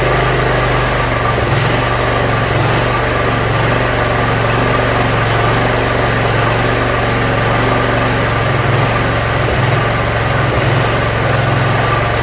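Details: Yard Machines (MTD) 42-inch riding mower engine after carburetor cleaning and freeing a stuck emergency shut-off: steady, even low hum at a settled idle, no misses, knocks or hunting; runs pretty good.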